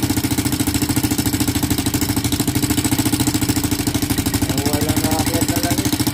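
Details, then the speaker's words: Engine noisy right after fresh oil change, top-end noise: steady idle with sharp even ticking clatter about three per second from the head; oil passage clear yet no oil reaching the top end, oil starvation. "So okay, ngayon nandun pa rin tayo sa hindi umakyat yung langis. So sabi ko paandarin lang natin, tapos para masabi na natin, madetermine na natin kung ano yung problema."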